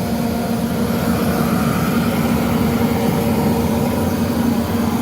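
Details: Van Wert VA-600 coal/oil boiler firing on oil after cleaning, with a new shut-off valve and filter, chimney smoke stopped, stack temperature about 460. Steady even low roar with no pulsing or puffing. Normal firing.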